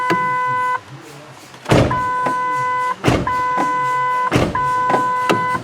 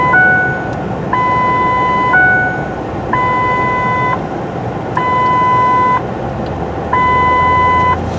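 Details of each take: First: 2008 Ford F-150 with a complaint of the parking brake dinger going off all the time: with key on, engine off and driver door open, a clear steady chime about every second and a half, the normal door-ajar warning; the dash door-ajar light also works. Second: 2008 Ford F-150 with the complaint of the parking brake dinger going off all the time: while driving, a two-tone chime cycles about once a second in repeated bursts over road noise, with the seat belt light going on and off by itself; cause not yet found.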